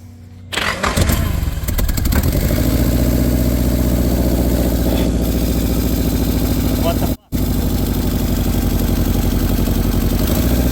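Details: Nissan S12 with SR20DET that had been running badly: engine catches, runs lumpy and uneven with a misfire, smoke, then shuts off; cylinder 1 plug very wet, others dark and ashy.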